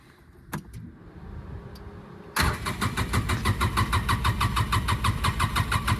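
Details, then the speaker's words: 2007 Polaris Ranger 700 6x6, sat about two years, new battery: engine cranks in steady pulses about three a second, takes a long crank to start on second try, then idles near 1,400 rpm. "start there we go a little bit of a long crank but uh the second try here it started"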